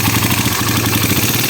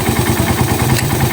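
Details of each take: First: Raider 150 carbureted single at idle with a busy, tinny top-end clatter; noisy head traced to excessive cam holder clearance, fixed by lapping the cam holder without changing shims. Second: Raider 150 motorcycle idling after shim replacement and cam holder honing to cure a noisy head. Even single-cylinder idle with only a faint tick; the earlier typewriter-like clatter is gone.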